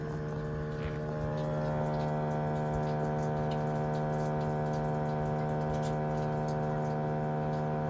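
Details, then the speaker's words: Ford 6.7 Powerstroke after replacing the turbo wastegate solenoid control valve (BC3Q-9E882-AA) following a loud hum at idle and after shutoff: smooth constant mid-pitched hum after shutdown, quieter than the fault drone; normal, fix appears successful. "I just got back from driving it. Just in the driveway and back and I don't hear it. I don't hear that noise. So, I think it's good. Hopefully, that's normal. That's the normal"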